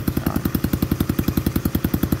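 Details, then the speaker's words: Old Honda Cub 50 engine after restoration, exhaust fitted, idling with crisp even pops, steady and unchanging; a very smooth healthy idle. "Máy móc rất là êm lắp cho anh em cái bô vào để anh em chúng ta nghe con máy cực chất luôn anh em"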